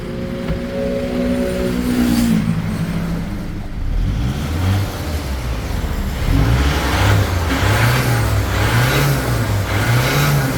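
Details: Isuzu D-Max diesel after its faulty injectors, the cause of hard starting, were tested; revved repeatedly, rising and falling smoothly about once a second with no misfire or knock, responding cleanly.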